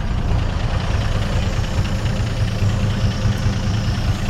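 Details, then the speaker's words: 1958 Chevy Apache running after 20 years sitting, no muffler, oil pressure about 40 psi at idle, slight electric tick. Loud, open, deep rumble at a steady, even idle; the engine sounds healthy. Normal idle without muffler. "it's running around like 40 lb or so which isn't terrible at idle course with that lack of muffler"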